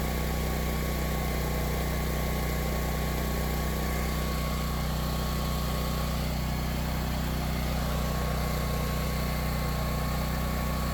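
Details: Power Stroke 6000 W 389 cc generator found abandoned, after carburettor clean and fuel filter replacement: steady even drone at constant speed, no surging, misses or hunting; running well.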